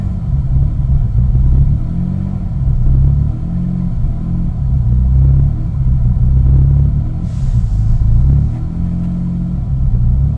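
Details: 2001 Mitsubishi Eclipse GT at cold start: low, lumpy idle surging and sagging about every second and a half; rough idle when cold that becomes normal once warmed up, cause unknown.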